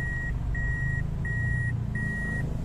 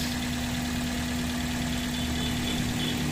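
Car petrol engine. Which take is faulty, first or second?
first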